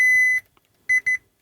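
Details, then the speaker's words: Gibson G101 combo organ under repair, multimeter continuity test: one long high beep then two short beeps as the probe lands, the minus 22 volt supply wire is shorted to chassis ground, insulation damaged. Continuity beep, short to chassis. "so that's um unpleasantly Short Circuit to chassis that's our minus 22 volts see it's down the ground"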